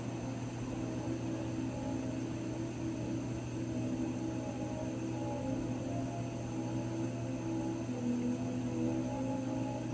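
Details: Raypak 106A heater: a steady low drone with a few fixed tones, unchanged for ten seconds; whining again, cause unclear.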